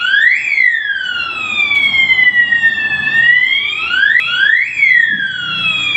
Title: Fire Alarm Siren Security Horn Buzzer 12VDC 24V Sound and Light Fire #Warning #Strobe #Siren